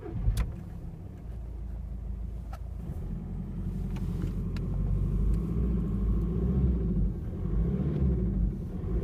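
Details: VW 1.9 TDI (BSU engine) with single-mass flywheel, new clutch and camshaft, while driving: deep diesel rumble with sharp irregular knocks, louder on overrun and when coasting in 1st-2nd gear; engine knock, cause not yet found.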